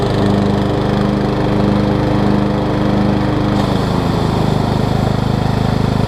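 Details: Craftsman LT2000 lawn tractor, 2003 model year, after freeing a frozen deck spindle and replacing belts: steady, even mower drone with blades engaged and spinning smoothly, no knocking, squeal or grinding; belts line up, oil clean and full; normal running.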